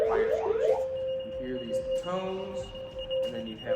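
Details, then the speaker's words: Fire station alert when someone calls 9-1-1: a rising sweep, then a steady high tone with a second higher tone, the dispatch alert for an emergency call. "you'll hear right now is the alert that we get when somebody calls 9-1-1 this is what happens in our"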